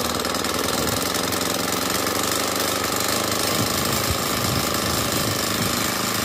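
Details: Honda GX35 brushcutter four-stroke after wrong power-steering-fluid oil fill was drained and overfilled Honda oil cleared via spark plug hole; steady high-speed buzz, even unbroken firing, no misses; running properly, though some overfilled oil may remain in system.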